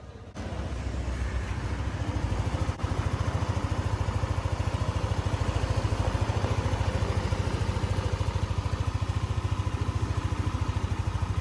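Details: Motorcycle engine after internal parts were replaced; a badly bent camshaft guide was found. Low, even idle thump of about three beats a second, no ticking or knocking; healthy.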